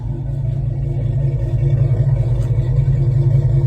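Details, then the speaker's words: 2006 Dodge Charger Hemi V8 after replacing the engine wiring harness (for a cylinder 8 misfire) plus new coil packs, valve covers, catch can, air filter, high-flow fuel pump; deep smooth even rumble, running cleanly. "Man, she sounds so much better, man. So much better."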